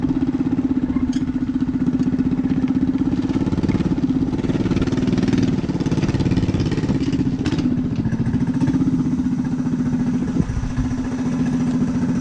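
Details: Rat rod small single-cylinder running on choke after new gas tank fitted to fix fuel problems: steady, even, buzzy beat with no misses; normal running idle.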